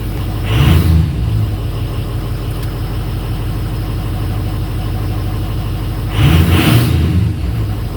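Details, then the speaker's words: Ford 6.0 Powerstroke diesel after injector and fuel pump replacement for stalling/no-restart; steady low idle with two throttle blips settling straight back, no surging or stalling, fuel pressure 60 psi; running healthy. "yeah 60 psi look at that running truck how about that crap"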